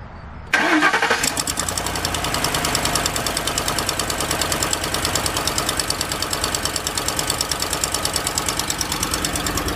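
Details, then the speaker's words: 2006 Ford Explorer cold start, heard at the passenger-side front: sharp, fast ticking keeping time with idle, gone after 15–20 seconds; exhaust manifold leak from broken studs and warped manifold, not lifters. "and you'll really hear down in here and I can already tell the nois is coming uh mainly from the front and as you saw there it only lasted maybe 15 20 seconds and now the engine sounds normal once again there's no no more ticking type noises coming from the engine"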